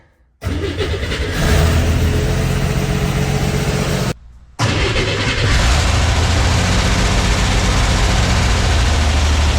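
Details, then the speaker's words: Flooded Corvair air-cooled flat-six after dropped valve seat repair, fuel injection, exhaust and vacuum line refitted, fuel system likely unprimed: cranks, brief stumble, then steady even idle, no knocking; normal start and idle. "What do you say we try and fire it up? I am sure the fuel system is not primed. Here goes nothing."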